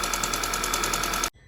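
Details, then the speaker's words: Rebuilt Audi/VW 2.0T TFSI petrol engine at idle: sharp regular tick about ten a second, louder than normal, seeming to come from the intake camshaft; suspected fallen-over or broken rocker arm, not confirmed. "it almost sounds like an exhaust leak from the injector to me it sounds like it's coming from the intake cam shaft"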